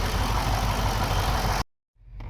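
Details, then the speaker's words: Pontiac Grand Prix GXP with GM LS4 V8 after new spark plugs and wires: even steady low rumble with no stumbles or skips; scan tool shows no misfires on any cylinder; idles smoothly. "All right, so no misfires on any cylinders, but so yeah, we are all set. It sounds good. It runs good. It's smooth, no problems."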